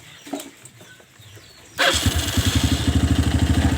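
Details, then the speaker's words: Kawasaki ZX motorcycle engine fires and drops into a rough idle with a steady clattering "kletak-kletak" tick on each beat, roughly three a second; the cause is not yet identified. "Bila mesin hidup suaranya kletak-kletak gitu ya, biar pemiliknya nanti bisa ancang-ancang dana untuk membenahi mesin sepeda motor ini ya."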